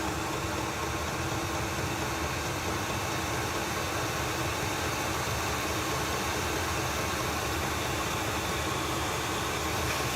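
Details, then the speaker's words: Newly installed Chinese all-in-one diesel parking heater in a shuttle bus RV conversion, blower on high: even, steady rush of very hot air over a soft hum. No rattle; normal blower airflow. "That noise you're hearing is just this air blowing out right here. Oh wow, that is really, really warm."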